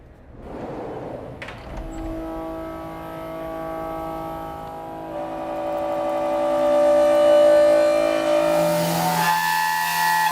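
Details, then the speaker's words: Haas CNC mill cut producing a loud, steady high-pitched whistling squeal: chatter, the tool or workpiece vibrating enough to cause surface problems. "okay so we know what chatter sounds like let's see what it looks like"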